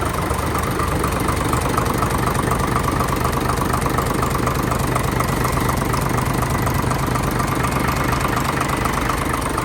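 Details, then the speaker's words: Hino JO8C diesel truck, in-line injection pump, 210 hp, just started very easily: even steady idle with regular low combustion knock, no misses or odd noises; normal healthy diesel idle. "โอเคเดี๋ยวเรามาลองสตาร์ทเครื่องกันครับโอหติดง่ายมาก"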